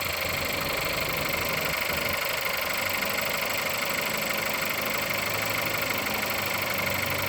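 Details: Engine at 176,000 mileage, cold start: idles with a steady, sharp knock about three per second ticking over the idle; engine knock, source not yet known.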